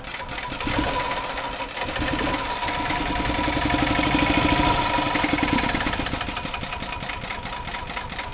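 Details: Gas-powered golf cart engine, a small single-cylinder, started on full choke and then run as the choke is opened, after a repair that included fitting a stop-start switch. It chugs at a steady, even beat that swells slightly with the choke, with no misses, and runs properly.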